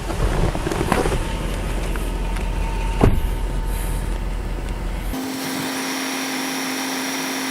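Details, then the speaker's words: Lexus LS 400 air suspension lowering from high position back to normal ride height, compressor previously heard from inside the car: several seconds of airy hiss over a quiet idle, then a steady low hum settles in; normal operation. "And I'm going back to normal ride height."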